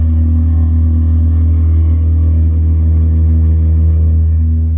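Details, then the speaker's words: 2021 Toyota RAV4 Prime SE heat pump at start-up when very cold (around 49 degrees), a problem since new, taken for warranty service: loud steady low droning, horn-like tone with no rise or fall. "did you just hear that guys that's that annoying loud noise all right when when when you're trying to to warm your RAV4 up when it's cold"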